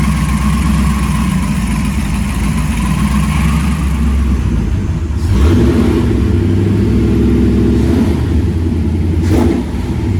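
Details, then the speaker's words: First fire-up of freshly swapped 335hp supercharged Ardun flathead V8 in 1932 Ford Roadster, magneto ignition: deep lumpy idle holding high and steady, then settling lower with a blip; running cleanly, though an AN oil fitting at the gauge line leaks. "we cranked it over until I had oil pressure hit the mag and we fire it up right away"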